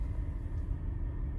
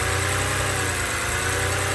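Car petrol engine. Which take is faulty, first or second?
first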